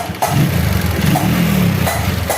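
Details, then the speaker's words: Honda Megapro Primus single-cylinder after fitting a new racing camshaft and rocker arms, valve clearance not yet set: steady, even idle thump with light valve tapping; running fairly smoothly, valves to be readjusted after break-in. "cukup halus suaranya ini karena setelan klepnya belum pas ya masih Penyesuaian dengan noken as yang barunya"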